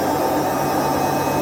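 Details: Whirlpool/Vestel washing machine with bad drum bearings after exactly one year: a loud, continuous hollow roar with a gritty edge at high spin speed, getting louder over time but still running.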